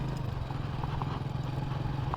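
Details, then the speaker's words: Hero HF Deluxe single-cylinder bike after rear half-axle bearing replacement, on test ride: steady thump rolling evenly with no grinding or scraping from the rear wheel; normal rear wheel running. "ആ കരയരപ്പ് sound ഇല്ല കേട്ടോ. അടിപൊളി."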